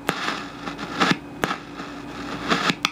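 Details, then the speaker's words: Heathkit T3 signal tracer: irregular sharp crackles and pops over a low steady hum as the gain is turned up, same fault as in Mr Carlson's repair; missing grid leak resistor, to be fixed with a 5.6 megohm resistor. "turn the gain up a little bit see how this works that sounds ugly well I have the same exact problem with my T3"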